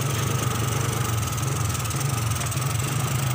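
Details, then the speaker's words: 2003 Suzuki Smash 110, hard to start, misfires when revved: dry, uneven popping beat over idle; multimeter shows very low charging output, so weak 12 V supply to the CDI causes ignition misfire. "Jadi untuk berbet di kelistrikan itu mirip seperti telat bensin, cuma dia agak kering suaranya ya. Kalau di gas seperti telat bensin seperti ini, gelepak-gelepak ya. Ini kita lihat di avometer, pengisiannya kecil sekali."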